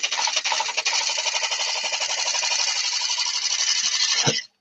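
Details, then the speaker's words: Turning a yew platter on the lathe, thinning the outside wall while cutting end grain: steady hissing cut with rapid chatter, then a sudden knock as the gouge catches; turner suspects an inclusion; tool catch leaving tear-out. "Left a little bit of tear out there, but I think it was that inclusion just there that was throwing me."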